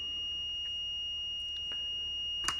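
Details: Multimeter continuity beep-test, automotive fuse testing via decade box, test leads about 1 ohm: a steady high beep with light clicks at 30 ohms. It still signals continuity; the beep starts skipping around 60-80 ohms.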